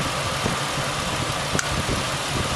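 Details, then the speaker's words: 2001 Mazda B4000 (Ford Ranger) idling after idler pulley replacement and refitting the belt: steady, even idle with a light, smooth rumble, no chirp, squeal or rattle from the belt area, no check engine lights; normal idle. "Well, that sounds better. No check engine lights on. Everything seems to be running true and straight and quiet."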